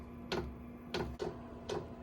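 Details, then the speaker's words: Silvel 5 kW diesel heater starting up on a power station, drawing 108 W: its fuel pump gives sharp, evenly spaced priming clicks over a steady low hum about a minute into startup, which is normal. "now the fuel pump's kicking in you can hear it clicking there so it's priming the fuel"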